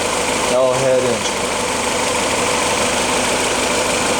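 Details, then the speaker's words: 1953 Willys CJ3A L-head flathead, mechanical non-roller lifters with a specified .016 gap, warm idle: smooth even idle with light quick valve tap on top, expected sewing-machine sound; normal. "you get a slight tap but that's uh to be expected a well tuned Will's fad should sound like the proverbial uh Singer sewing machine"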